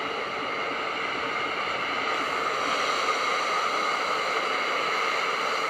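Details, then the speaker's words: Tefal Access Steam Force DT8270G0 2000 W handheld garment steamer with 200 ml tank, on turbo setting; strong, steady, even hiss of steam with no sputter or spitting, running normally. "and it generates More Steam"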